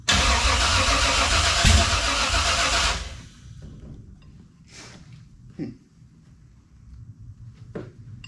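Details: 1967 Camaro with a newly installed 454 big-block, first start with the carburetor primed but the fuel pump apparently not working: loud rough running for about three seconds, then an abrupt stall with faint clunks afterward. Fuel starvation is suspected, not confirmed.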